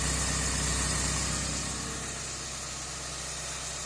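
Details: Porsche 944 idling after a new gasket at the manifold-to-exhaust flange, previously very noisy: even, settled idle with a smooth, steady exhaust note and no puffing or ticking. Exhaust leak fixed.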